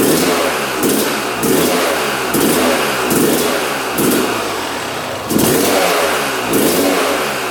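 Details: 1997 Yamaha YZ250 two-stroke that the seller said wouldn't run, on choke with fuel on: it fires first kick, then gives crisp blips every three-quarter second, revving up and dropping straight back, and won't idle; right crank seal suspected.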